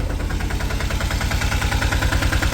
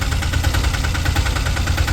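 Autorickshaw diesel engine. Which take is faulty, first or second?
second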